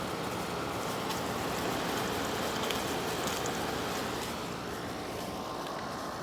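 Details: Late-model Frigidaire window air conditioner making a steady crackling, sloshing, scratchy sound over its airflow hiss; owner suspects water or debris, cause not confirmed.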